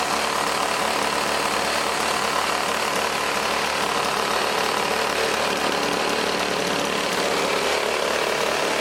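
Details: Old 1980s Toro S-200/S-620-type two-stroke snowblower, started with choke on after a nut was added on the recoil side to stiffen the motor: steady, raspy buzz at even speed, no knocks or stumbles; normal running on choke.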